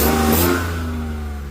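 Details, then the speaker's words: 1997 BMW E36 328i, swapped from automatic to 5-speed manual: a short rev settles to a low hum with a raspy, puffing exhaust leak caused by a gasket reused when the transmission was removed. "first I do have a exhaust Lake you will hear right now when I start the car and that's because the last time uh when I took off the transmission I reused the gasket and uh it did start leaking eventually"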